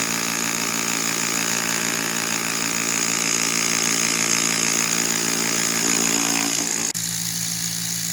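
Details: eBay-return pump motor after tightening a loose part a quarter turn: a steady high-pitched whine with an even hum underneath and no grinding or rubbing. Afterward the bearing is cool but the motor quite hot. It is running smoothly.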